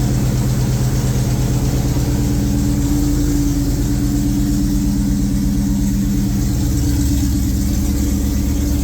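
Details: 2003 SVT Cobra supercharged V8, newly built engine on first start with conventional break-in oil: fast light tapping over a steady idle. Still present with the supercharger belt off; seems to come from the valve cover, source not pinned down.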